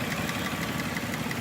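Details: Nissan Murano with code P0303: steady idle with a recurring stumble, an uneven lope rather than a smooth hum; cylinder 3 dead from low compression, found by a relative compression test.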